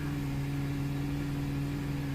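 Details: Mercedes W203 C-Class after a gearbox limp-mode repair, idling to refill the drained transmission and mechatronics before the oil-level check: a smooth, quiet idle with a low constant hum and no ticks or hunting.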